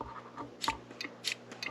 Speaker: and you can also hear it clicking. It's just a quick check to see that it's working, the diaphragm in there isn't broken.